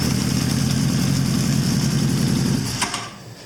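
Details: 1983 Honda CB1000 C Custom started by jumping the starter terminals after a no-start that is blamed on a starter relay not clicking. It idles with a steady, lumpy low throb, then shuts off.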